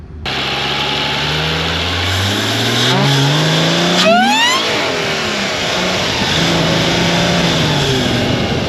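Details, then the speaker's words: Mercedes SLK320 with an M112K supercharger making 13 psi, at light throttle: the engine pulls hard with a high supercharger whine rising with revs. The supercharger is engaging and working properly. "I barely gave it any throttle, and you guys heard that supercharger whine, and my whole rear end went wah, wah."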